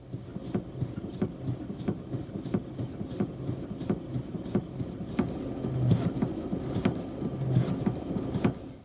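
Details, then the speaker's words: GM power steering system: sharp clunks about 1.5 a second, one each time the steering wheel is quickly snapped the other way; considered normal if from the pinion-rack mesh and valve-body internal stops, otherwise test the steering column and intermediate shafts. "A pancada é um ruído mecânico induzido pela mudança rápida no sentido de giro no volante de direção."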